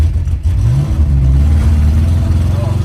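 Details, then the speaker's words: 1964 Chevy Nova small-block V8 driven with fouled spark plugs: lumpy uneven beat like an air-cooled Volkswagen, missing pulses and no power; two cylinders dead from wasted plugs, engine now running cooler. "That sounds exactly like a Volkswagen aircooled. Yeah. Runs about as good as two. Yeah. Wow. That runs hideous."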